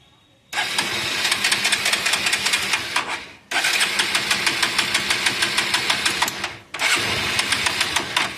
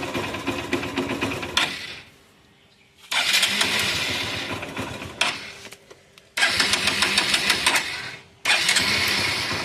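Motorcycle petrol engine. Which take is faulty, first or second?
first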